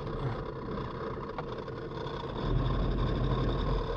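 Uneven diesel chug around four beats a second, lumpy and unsteady under a faint hiss, an old engine running rough. Cause suspected, not confirmed.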